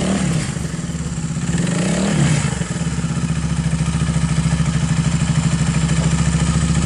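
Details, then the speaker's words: Viar 150 cc motorcycle after replacing the worn cam chain that caused engine clattering: idle settles to an even, steady beat of about three pulses a second with no top-end clatter; normal, smooth idle. "jadi mesinnya sudah kembali normal dan halus teman-temannya"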